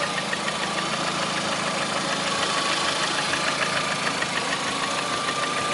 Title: Приора стук двигателя 21126